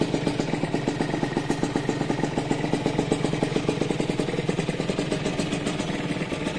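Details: Rieju RV motorcycle, restored with engine rebuilt, first start: steady, even putt-putt idle with a quick regular beat and no knocks or rattles; engine sounds healthy.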